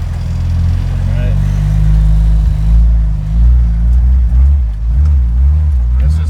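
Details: Jeep YJ in second gear, raw-fuel smell and rich exhaust, restarted by rolling: engine drone sags and surges unevenly as throttle is added, stumbling and hesitating under load; same result with original or swapped revision computer.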